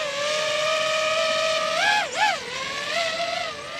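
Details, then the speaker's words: DJI FPV drone at power-on: a steady high motor whine that briefly wavers and dips in pitch as the motors vibrate and shudder, then settles; a normal startup shudder, not a fault. "So I think everyone by now has heard the sound it makes when the aircraft turns on, but I haven't seen anyone actually show how it shudders. The motors vibrate and shudder when you turn it on. It's kind of crazy."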